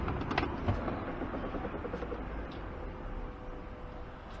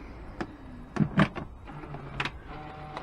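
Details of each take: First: Range Rover L405 lower tailgate, which sometimes fails to close and whose actuator wiring was replaced earlier: quiet steady actuator whirr for about two seconds fading evenly; opens smoothly. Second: Range Rover L405 lower tailgate: a short motor whir broken by irregular clicks as the tailgate stalls partway and fails to close; the lower tailgate actuator is suspected and will be inspected or lubricated.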